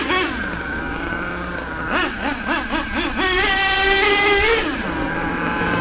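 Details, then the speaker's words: HPI Savage nitro RC monster truck with LRP ZR32 engine, after tuning the high-speed needle: quick rising and falling revs, clean high pitch without sagging or cutting out; tune good. "That high-speed needle, in my opinion, is pretty good now."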